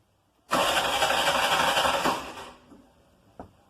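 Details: Mototaxi starter with the battery at 12.71 V, dipping to about 11.4–11.5 V while cranking: brisk, even cranking for about two seconds, starter spinning strongly at a steady rate, then it cuts off; the battery and starting system are healthy.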